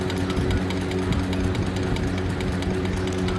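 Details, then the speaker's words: Sewing machine after reassembling the bobbin plate and tightening screws to cure a noise: even quick ticking about seven beats a second over steady motor hum, no grinding or jamming; noise reduced, normal running. "फिर इसकी सारे screw को tight कर देंगे और फिर हम देखिए चलते हैं तो आवाज थोड़ा कम ए रही है मतलब यह मशीन की नॉर्मल आवाज है"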